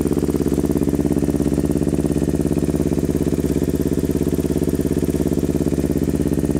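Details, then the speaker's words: Kawasaki Ninja 250R rebuilt to 12.5:1 compression, 40 idle / 117.5 main jets, needles raised, stainless muffler, first startup cold: thin, weak-sounding twin idle, possibly running lean, slight oil smoke because rings haven't seated yet. "listen for how it sounds kind of weak like it's running lean and you'll see a little bit of oil smoke that's because the Rings haven't seated yet"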